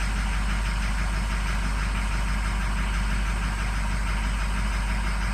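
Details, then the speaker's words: 2006 diesel truck, 158,000 miles, cold start at 68°F: uneven, lumpy idle with stumbling rhythm, running very badly; scan data points to cylinder 3 (also 1 and 6 suspect), harness checked, misfire from faulty number 3 injector. "Hey, I know you can't hear anything. It's running real bad."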